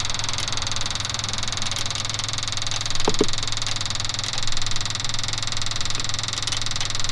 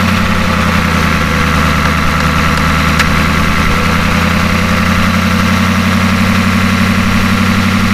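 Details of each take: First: Ford F250 6.9 IDI diesel after injection pump replacement, injector lines loosely snugged for bleeding: lumpy uneven idle with knocking from some cylinders while others drop out; air not yet bled from injector lines. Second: Ford F250 with a 6.9 IDI diesel just after injection pump replacement: a steady, even idle with a low throb and light injector clatter, no misses. There is a slight idle surge, which the owner thinks may need more fuel cycles.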